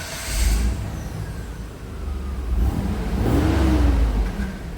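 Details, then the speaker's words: V6 EFI Mitsubishi Delica L400 4x4 automatic, stock exhaust before a fuel-saving exhaust mod: deep, smooth note swelling with two revs and dropping back evenly, fairly quiet and free of rattles. Not too loud; the exhaust is healthy. "Not too loud at all, it's fine."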